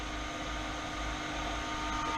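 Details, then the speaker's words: Car running extremely hot, suspected pushing coolant through head gasket, transmission hot: transmission cooler electric fan kicks on for the first time after its unwired switch was forgotten; steady, even whirr, no rattle, running smoothly. "you hear that that's the trans-cooling fan and that's the first time it's kicked on because my dumb ass forgot to hit this little switch here before we went driving"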